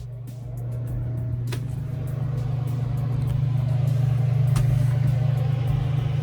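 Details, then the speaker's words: Crew cabin marine air conditioner on a 1988 Hatteras 65C, started after its controls were replaced: a low hum swells and settles into an even run, and the equipment-room vent is already blowing cold. A normal startup. "on oh there it goes right that's good there's actually two vents there's this vent in the equipment room that's already cold nice"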